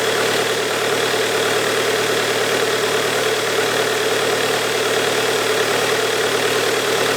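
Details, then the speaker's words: Bobcat Kubota diesel after high pressure fuel pump repair, fuel primed, started by shorting starter wire: steady idle with usual even light clatter, no misses or hunting; healthy. "let me crank it one more time i just like the way it starts"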